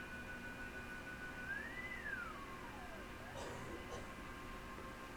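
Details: Yaesu FT-101E on first power-up at full power after bypassing the dim bulb tester, with a test signal injected from a generator: a faint steady tone rises then sweeps down through the hiss. Receiver now picking up the injected signal; normal receiver operation.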